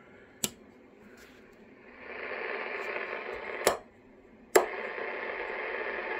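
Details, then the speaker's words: Cobra 29 XLR CB radio, after new driver and final transistors, power jack, three pots, recap and alignment: sharp switch clicks, then receiver hiss jumps louder and stays up as the preamp amplifies weak signals and static alike. "I don't know if you guys can hear the difference but it will amplify uh weaker signals but it's also going to amplify the static"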